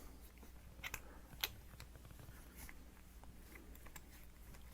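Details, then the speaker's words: Plastic threads of a FiFine Ampligame USB microphone turning smoothly after grease is applied: soft scattered clicks over low room hum, with the earlier squeak eliminated. "as you can hear the squeaking goes away the other good thing about having this grease on here is it won't get the threads stuck"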